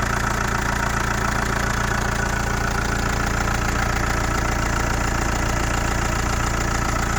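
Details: Chrysler Voyager 2.8 CRD diesel, cold start after a couple of months unused: steady cold idle with sharp regular knock about three to four per second; cause unknown.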